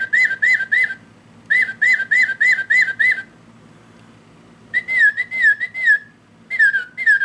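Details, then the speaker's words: Singing bird clock before repair, song triggered by button on back: warbling chirps harsh, buzzy, very digital, lower tones broken; clock movement also stopped until tapped. "Maybe there's the lower tones are really weird. See how that it's kind of broken? I I don't know. Very digital sounding."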